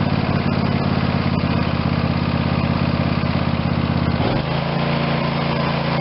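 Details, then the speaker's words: Craftsman YS4500 tractor, Briggs & Stratton 22hp Intek OHV twin, after carb cleaning and intake gasket sealer repair: steady even beat settling smoothly to slightly lower speed, no stumbles or surging, running like new. "That's how we got the Craftsman, which is a Briggs and Stratton 22 horse overhead valve engine intake twin cylinder, running like a new machine."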